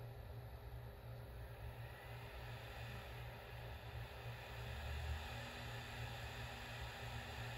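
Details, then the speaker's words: Toshiba P25 laptop booting a recovery DVD from its optical drive: steady low rumble and faint whirring hum as the disc spins up and holds speed. Normal spin-up, followed by Windows 98 starting. "This thing should be bootable. Alright, I hear the disk."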